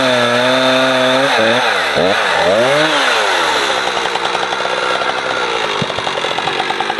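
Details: Husqvarna 455 Rancher two-stroke chainsaw, warmed up, cutting a heavy block after a fuel filter change; it had choked when warm. Revs cleanly, then holds a strong steady snarl through heavy wood without bogging; old filter discolored brown.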